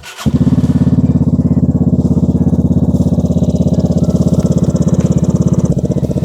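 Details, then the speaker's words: Vespa Primavera with Malossi big bore kit and newly fitted high-flow cold air intake, idling: steady fast putter with hollow gurgling pulse each firing; owner unsure if metal intake tube knocks or just louder intake. "I'm curious if that hollow sound is that metal tube knocking into it, or if it's just we can hear the intake so much more it kind of gurgles it."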